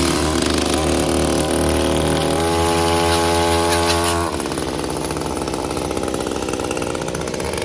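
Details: Small two-stroke screams at high revs with a clean, steady tone, then drops to a lighter run; it starts again after reassembly and sounds healthy.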